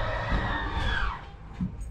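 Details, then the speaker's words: Grand Design Solitude S-Class 2930RL-R fifth-wheel RV slide-out: steady vacuum-cleaner-like motor whine sags in pitch and cuts out with a soft thump, the hiccup as both motors reach full travel; normal stall at end of travel. "hear that wine some people liking it to a vacuum cleaner it sounds like a vacuum cleaner so keep your finger on that button until i tell you to take it off we're going to listen for the hiccup it's going to be coming soon"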